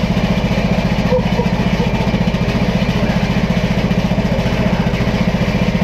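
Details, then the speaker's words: Dad's tractor running after fuel line work, battery on a tender and suspected bad: steady, even low thump at constant idle with no misses, knocks or surging; normal running. "nice and smooth sweet i love"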